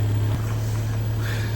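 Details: 2002 Toyota Tacoma, 270,000 miles, started up after a coil pack change and vacuum line fixes. It gives a steady low four-cylinder drone of even pitch, with no misses, knocks or ticks.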